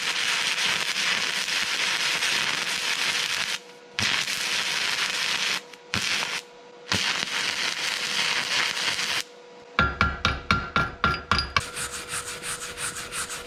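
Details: Vevor MIG-250 in stick-electrode mode, tested at 60, 90 and 95 A: steady crackling hiss of the arc in bursts with short breaks, then sharp taps. 60 A failed, 90 A worked somewhat better, and the arc burns steadily at this current.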